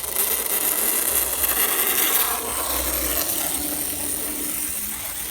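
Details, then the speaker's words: Restored Mantua Spirit of '76 model locomotive, tested after cleaning, oiling and resoldering a wire: light even gear whir with soft regular ticking and no grinding; runs much quieter and at a better pace than before. "This one also needs new traction tires, but it runs much quieter than it did before and at a better pace."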